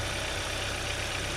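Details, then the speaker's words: 2015 Kia Sorento four-cylinder AWD, listened to with the hood open during a used-car inspection for the model's common ticking or knocking: even, low, regular idle pulse with no ticking or knocking. Smooth, healthy idle. "this case the engine sounds good and smooth"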